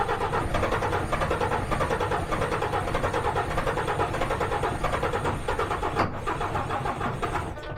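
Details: DAF truck with a camshaft/crankshaft correlation position error, camshaft position sensor unplugged so it should run off the crankshaft sensor: starter turns the engine at a steady, even rate but it never fires; cause unresolved.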